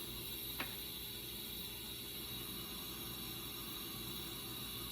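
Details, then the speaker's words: 2006 LTZ400 leak-down test, engine stopped, 100% leak showing: steady soft hiss of air escaping through the carburetor, nothing from radiator; intake valves open or not seating. "I need to take the radiator cap off, but I've got it coming through the carburetor, which indicates the intake valves are open or at least not seated very well."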